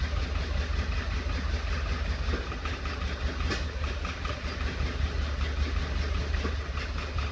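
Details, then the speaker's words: 1931 Ford Model A, stored in a barn 10+ years without running, first restart on 6-volt battery charger, in neutral: low uneven idle that misses and stumbles with pops back through the carburetor; owner suspects a sticking intake valve. "all right died but carburetors popping back through the carburetor I can't tell if it's a valve ticking or if it's carburetor I think it's a valve sticking"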